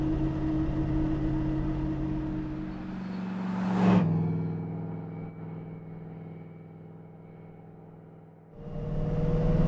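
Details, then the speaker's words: 1973 Camaro with a 4-speed manual of unknown type (possibly Muncie), driving at steady speed: a thin whine over the drivetrain hum, fading as it slows. The whine is in the transmission, more obnoxious than M22 whine, and third gear is suspected. "Yeah, it's in the transmission. Yeah. You can hear it. And it's not like the M22 Rock Crusher whine either. Like, it's a little more obnoxious."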